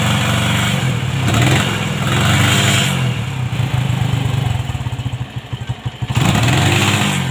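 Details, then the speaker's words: Honda MegaPro modified CB-style, kick start kicks back, dies when throttled: revs rise then stutter raggedly and nearly die; ignition cutting out from a broken regulator-socket wire. "nah oke untuk teman-teman kalau penyakit yang seperti ini itu biasanya di bagian pengapian ya"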